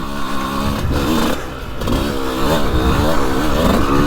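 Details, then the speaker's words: 2002 CR125 two-stroke after port work and carb rejetting: revs up crisply with a snappy, even note and no misfire or bogging; the power band feels right and snappy, judged by feel with no dyno test; normal revving. "she feels outstanding Power Band feels right there Snappy I love it this bike is an animal"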